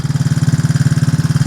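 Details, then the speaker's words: Four-wheeler ATV that sat about a year, now running: even, steady low putter at idle, about fifteen pulses a second, no skips; normal idle. "All right. I got her running. She been sitting up about a year and uh she wanted to crank when I put the fuel uh starter in it, but it wouldn't run."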